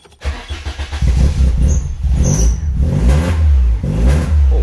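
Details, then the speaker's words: Citroen AX GT with its 16v engine refitted and newly wired to a MaxxECU, first start before dyno tuning: it catches and revs in rough bursts with a deep, booming exhaust the owner says is far too loud and needs fixing. Loud exhaust. "hey that is very loud sounds like a Honda mate I have to fix that"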